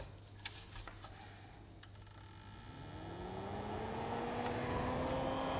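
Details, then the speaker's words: Weeylite Ninja 200 bi-color COB video light at a setting of 41: its cooling fan spins up within seconds to a steady whirring whine, clearly audible in a quiet room. The fan noise is considered a deal breaker. "first and foremost the fan noise so when you turn on this light i'm gonna show you right now"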